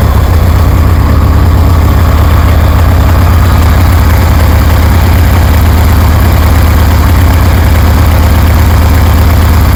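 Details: 1973 Harley Sportster with CV40 carburetor, idle just adjusted, low fuel: deep, loud V-twin loping beat, steady and even with no stumbling or popping; healthy idle.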